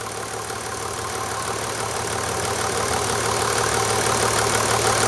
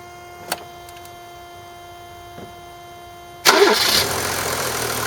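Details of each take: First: 1991 Mercedes 350SDL W126 OM603 diesel at idle just after an oil change with 5W-40 synthetic, oil pressure about 2 bar: steady clatter with a light, fairly even tapping about three a second; owner rechecking the tapping, cause unknown. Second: 1991 Mercedes 350SDL, OM603 diesel, restarted right after an oil change to check an earlier tapping noise: catches quickly and settles into an even diesel clatter with no tapping or knocking, oil pressure 2 bar; normal warm idle.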